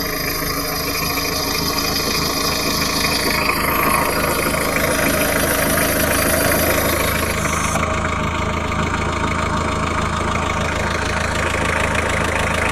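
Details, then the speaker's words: Citroën XM 2.1 TD phase 1 diesel at even idle: a rapid, regular clack of about 200 per minute over the diesel rumble. The rocker arms (culbuteurs) are clearly heard, suspected valve or rocker noise. "Bon là les culbuteurs on les entend bien. Clac, clac, clac, clac, clac, clac, clac, clac."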